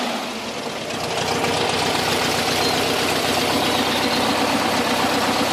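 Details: VW Camper with 1600 TP air-cooled engine knocking at cold idle, a steady knock about four per second over a clattery running note; goes away when warmed up, not fan or alternator related.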